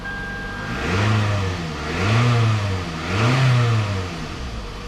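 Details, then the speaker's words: 2005 Toyota Camry after replacing the misfiring number 3 ignition coil: three clean revs rise and fall smoothly with no stumble or miss; engine now runs really smooth; normal running. "So I'm going to start up the engine. Now it's running really smooth."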